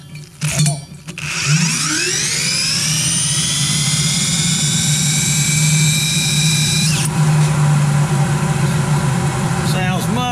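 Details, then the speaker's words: Blower motor just rebuilt with two new bearings after one had a bad bearing, bench spin test: spins up with a climbing whine, then holds a smooth steady hum with no grinding or rattle. Normal running after repair. "better much better"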